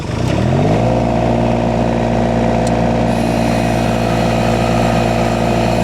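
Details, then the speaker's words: Derette XC1100 mini skid steer engine driving a heavy Rut Manufacturing Termite disc mulcher. Note sags as the disc engages at start-up, then climbs within a second to a steady drone; normal start-up load. "Now, it's so heavy, that disc spinning, it's so heavy, it bogs down a little bit when it fires up, but then it gets to spinning."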